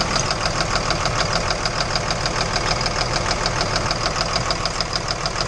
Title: Engine Knock